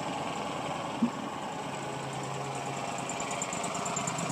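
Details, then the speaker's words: Walker Super Bee 60-inch mower, about 764 hours, new filters, in neutral with PTO off: steady quiet idle with even low hum, no knocks or misses, no smoke; normal idle. "quiet engine doesn't smoke I might raise the idea a little bit a little bit"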